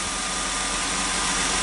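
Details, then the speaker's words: 2002 Chrysler Sebring 2.7 V6 idling after alternator replacement: steady, even idle with smooth hiss, no earlier whine, no battery light, voltage good; normal idle, charging side healthy. "And in my previous videos, you would hear that weird whining sound, which I don't hear. Last but not least, my voltage is good. Okay, so alternator's out of the way."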